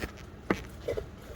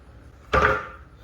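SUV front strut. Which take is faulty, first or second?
first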